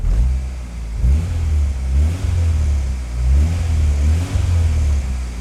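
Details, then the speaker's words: Turbo Acura Integra after new injectors and ignition timing corrected, good AFR and idle; crisp free-revving blips that settle cleanly to steady idle, much more normal and healthy. "That is much more normal. Oh, yes, sir."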